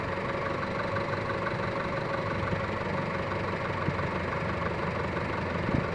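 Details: 2006 Honda Civic engine: steady idle with a fine, fast ticking mixed into the hum and no clear change; abnormal engine noise, cause unknown.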